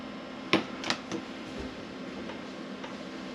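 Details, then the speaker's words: Camper van diesel air heater first start, battery charge unchecked: faint light ticks from the dosing pump hung underneath on cable ties, a few close together then fading, over a soft fan hum; normal fuel pump priming clicks. "there we go pump's just about hear that pump clicking I've hung the pump underneath um on some cable tires which is my usual trick only just about hear it ticking"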